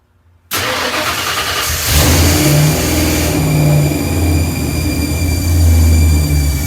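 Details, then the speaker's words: Truck V8 on newly installed Megasquirt ECU and transmission controller, first cold start: lumpy fast idle with steady high whine; source unknown, owner plans removing alternator, power steering, A/C and water pump belts. "yeah i'm not sure where that winding noise is coming from i'm going to loosen up and take off the fan belts for the alternator power steering pump and air conditioning compressor and that'll disable the water pump as well see if it goes away"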